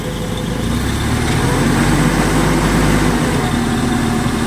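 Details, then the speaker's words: Sumitomo FG15 1.5-ton automatic forklift, 4-cylinder engine, 1500 engine hours, dry and intact: steady, even idle with a smooth low hum and no knocks or misses; engine runs smoothly, no problems. "Работает ровно, никаких проблем с двигателем нет."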